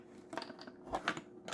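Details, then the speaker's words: Jaguar XK8 cupholder compartment, removed with the centre console: short, dry creaks and ticks near the limit of travel from plastic bending and rubbing on plastic; lubrication can't stop it, and it is judged part of the design. "This is just the plastic slightly bending or pressing against other plastic, and the lubrication can't take care of that. It's just, you would hear it."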